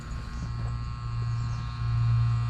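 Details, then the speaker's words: Rheem Classic heat pump outdoor unit not cooling, with a fuse missing: the contactor is pulled in with a steady low electrical buzz, but its contact points have come apart. Contactor buzzing. "what i'm looking at is our contactor is pulled in you can hear it buzzing uh but the contactors came apart"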